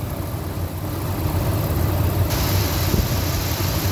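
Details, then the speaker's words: 1999 Ford F150, 5.4 V8, about 99,845 miles, retired over bad rust after the last highway drive; steady low V8 idle, even rumble, no clear knock over exhaust; running good, normal running. "I was going to drive this like probably all next week and all the rest of this weekend you can hear it's running"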